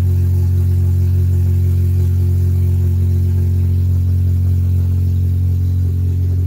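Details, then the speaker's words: K24-swapped Integra DC2 idling after cleaning the idle control valve to cure idle surge: deep, even idle with a smooth steady drone and no hunting; fans kicked on at 202. "and it's idling a lot better"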